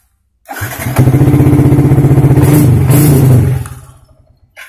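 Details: Yamaha Vixion after fixing error code 96, which can come from a battery voltage or broken-cable electrical fault; the code is now gone. The starter cranks briefly and the single cylinder catches at once, settling into an even idle of about four beats per second. Normal start and idle.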